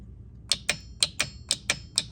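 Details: Golf cart 36 V starter solenoid bench-tested at 32 V with a meter, giving eight crisp clicks as the trigger wire is touched. It pulls in on the bench but causes intermittent starting issues. Faulty solenoid.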